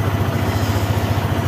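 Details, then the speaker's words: Motorstar ADV 175 scooter, about six months old, after a dirty switch was cleaned to fix a no-start with a strong battery: quick, even single-cylinder putter at roughly ten beats a second, no misfire or stumble; normal idle. "Sa switch lang pala. So ayun lang guys. Umandar na ulit ang ating motor Motorstar ADBI."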